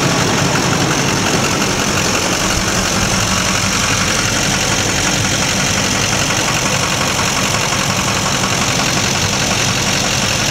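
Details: 2004.5 Duramax 6.6 LLY diesel truck, intermittently rough at idle despite new fuel and air filters and cleaned MAF: loud, uneven clatter with a lumpy low beat; rough idle, cause unknown.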